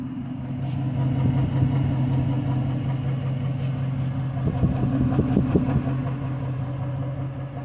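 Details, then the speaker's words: Rebuilt HEMI V8 Chrysler 300 at hot idle about 600 rpm after new O2 sensor: low rough idle, irregular lopey stumble two to three times a second, engine shaking; bank 1 still reads rich, misfire narrowed to cylinder 5. "So it is reading, however, the left bank 1, still showing a rich condition. Engine is still shaking. It still has that misfire."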